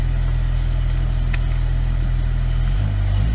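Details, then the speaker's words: BMW E63 M6 after passenger-side coil pack and spark plug replacement for a cylinder 4 misfire, codes reset: deep steady idle with an even beat, no stumbles; running smoothly on all cylinders. "so that appears to be our problem why we had this crazy thing you can see we're back in good shape"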